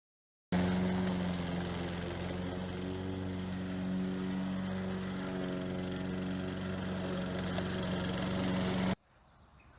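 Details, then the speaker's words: Toro Recycler mower model 20016, after repairs (coil, cleaned carburetor, belt, blade adapter, drive cable), cutting grass under load: steady, even drone with no stumbling or surging. It skips a beat only when unloaded. "When there's no load on it, it does kind of skip a beat, but when you're cutting, it runs strong."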